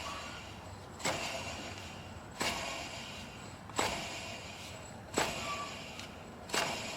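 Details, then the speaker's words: Toyota Corolla alternator pulley spun by hand, engine off, during alternator/tensioner replacement: sharp start fading into dry gritty whir; bearing starting to fail, could be pulley or alternator, suspected cause of alternator failure. "but I can hear this one this bearing is definitely you know starting to go out could be the pulley could be the alternator e"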